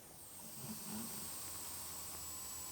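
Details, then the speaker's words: Dodge Charger 3.6 under cooling-system pressure, mic near the owner-replaced aftermarket part; faint steady airy hiss as coolant still bubbles out of that part; coolant system leak at the replaced part, not the heads. "It's still bubbling, but I don't know if you guys could even hear it."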